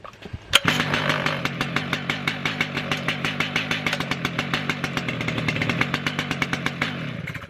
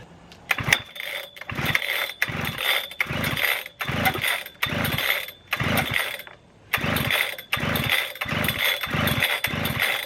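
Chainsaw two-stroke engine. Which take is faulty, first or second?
second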